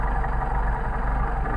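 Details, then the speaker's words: Mercedes 190SL rebuilt carburetors on test, warm, after air-flow balancing and backing idle off: settles into a nice low, even idle with steady deep rumble, no misses or hunting; carbs balanced, normal. "a nice low idle you may want it up the aisle that's it up here we got that adjusted"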